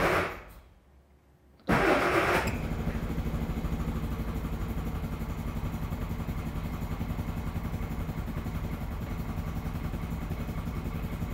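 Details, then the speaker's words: Classic Mini with turbocharged A-Series engine, first start from cold on choke: cranks briefly, catches, then settles into an uneven, lumpy low beat; rough running traced to a slightly rich carb and fouled spark plugs. "it was a combination of two things one the carb was just a little too rich and the spark plugs were fouled"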